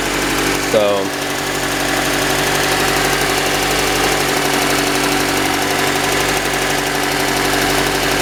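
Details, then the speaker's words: Engine idling evenly with a faint, quick tapping about four a second; knocking at startup the owner suspects is an oil pressure issue, planning to drop and clean the oil pan and sump and use thicker oil. "the motor was knocking and yeah um I think it's pretty much the same thing that that wrong with Charlene is just uh an oil pressure issue uh upon startup cuz that sounds pretty decent to me"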